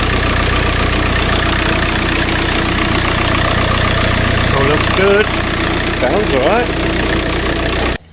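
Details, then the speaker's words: VW Passat B3 with a swapped ARL PD150 diesel, after a turbo replacement: a steady, even idle with smooth clatter. The siren-like whoop from the bad turbo is gone, so it sounds healthy. "well that's that I've done it Turbo's on sounds good I've lost that woo woo noise"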